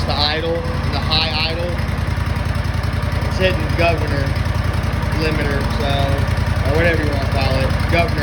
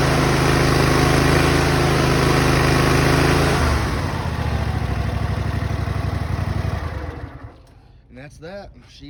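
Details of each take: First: Replacement engine on an Exmark Lazer Z zero-turn mower, just started with some throttle and full choke: steady, even single-cylinder drone held at fast speed with no misses; runs well but the high idle needs adjusting. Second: Exmark Lazer Z mower with a newly replaced engine: steady, even low thrum at idle with no misses or knocks, then it winds down and stops; normal idle.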